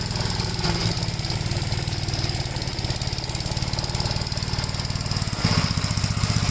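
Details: 1957 Gravely with a smaller 12-volt battery fitted, mowing soaked grass: steady, even single-cylinder thumping with no misses, knocks or bogging under load. The engine pulls strong and healthy and cuts with power to spare.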